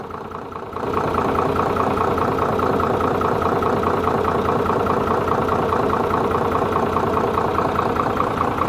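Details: Hino J08C diesel engine started for checking: catches within a second and settles into a steady, even idle with a regular beat and no knocking: normal idle.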